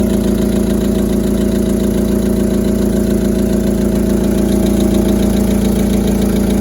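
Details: VW Polo Sedan 2010, 157,000 km, running cold: steady idle with a regular light knock about three to four per second over the engine note; engine knock, cause unclear.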